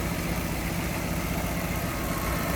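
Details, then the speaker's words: 1966 Ford Mustang convertible idling with hood open, after new exhaust manifold, tank, sending unit, brakes and rebuilt carb; steady, even low rumble with no misses, stumbles or knocks, runs smooth; normal idle. "Look how smooth this thing runs. Wow."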